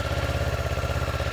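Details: Motorcycle in neutral, started after starter solenoid troubleshooting: a steady, even low thump at idle with regular firing pulses and no knocks or misses. It idles cleanly and healthily.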